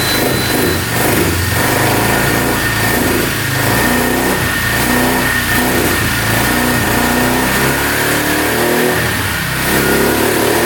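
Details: 2002 Polaris Magnum 325 4x4 ATV, bought not running and needing a carb clean, on first start without choke. The single-cylinder idles evenly and revs cleanly several times with no knocking or stumbling, with a beeping battery; running healthy.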